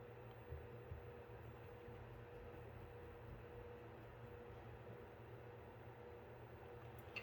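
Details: Apevia Venus Power Series 500 W power supply, about 4 years in service, after replacing its bad 120mm fan: quiet, steady low whir with no ticking, rattle or bearing growl during function test; fan sounds healthy.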